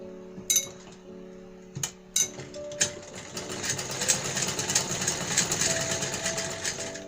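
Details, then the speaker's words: Pooja-brand home sewing machine after oiling and cleaning inside: even, fast whirring with a steady needle tick, no knocking or grinding, under background music. The machine now runs light and well; normal running. "अब की machine भी बढ़िया हो गई हल्की चल रही है काफी"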